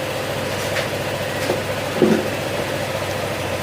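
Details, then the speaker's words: Honda ADV150 scooter that suddenly stalled and wouldn't start, after repair: soft, even low idle with no knocks, rattles or ticks; engine now quiet and running normally. Hopefully its oil won't be neglected. "tahimik na, manap na."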